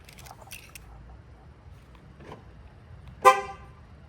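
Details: 2015 Ford Taurus SHO with a newly programmed key fob: quiet background, then one short sharp horn chirp near the end; the remote triggers the horn correctly.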